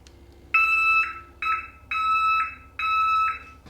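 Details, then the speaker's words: 2003 Ski-Doo Rev 600 H.O. after an engine rebuild: four two-tone warning beeps, each about half a second with short gaps; some fault code is killing spark, still being diagnosed. "there's some sort of code and it's killing spark so that's the next thing I'm going to have to chase out"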